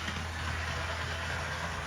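Steady low whirring hum with a gritty buzz over it as the model locomotive runs, gear noise.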